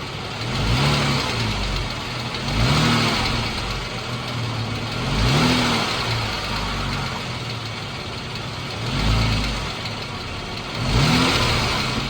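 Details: 2014 Jeep Wrangler 3.6 Pentastar idling with a couple of light blips and a faint light tick; owner asks whether rocker arm or valve tick, exact source unclear.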